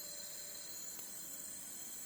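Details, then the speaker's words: Alfa Romeo Spider 2000 leak-down test, engine stopped, about 90 psi on cylinder one: steady high hiss of air escaping, felt at the exhaust and heard at the intake; air leaking past exhaust and intake valves. "you can hear the back as well i can feel the actual air coming out of the exhaust here so there's a bad leg from the actual valve exhaust valve any intake valve you can hear here as well"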